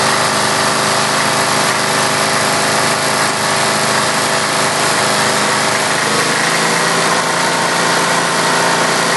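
Loud, busy single-cylinder run with a metallic rattle layered over it and an uneven beat now and then, like a miss.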